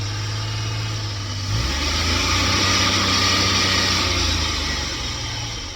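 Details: LPG-fuelled car after the over-rich gas mixture was leaned and the air adjusted: the engine runs on with an even low beat and a steady airy hiss, a smooth, healthy normal idle.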